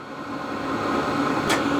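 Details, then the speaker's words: HCALORY Toolbox diesel heater for a Ford F-350 camper, first run, cranked up to 10. Blowing hot air with the exhaust and fan running: an even blower rush with a steady low burner hum that builds slightly and holds, healthy at full output. "So right now, it is spitting out hot air. The exhaust is running, the fan is running. Everything's doing what it should do."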